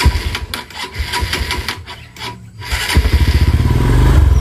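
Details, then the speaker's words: 150cc sport motorcycle started after work on burnt clutch plates and clutch cable adjustment: the idle gives uneven popping pulses, about four per second. Owner attributes the sputter to the vacuum carburetor and expects a PE28 carb would smooth it. Sputter at idle. "karena ini karbunya karbu vakum dia itu masih ada brebetnya guys kecuali kalau nanti sudahah diganti jadi karbu PE PE 28 ini mungkin agak enak"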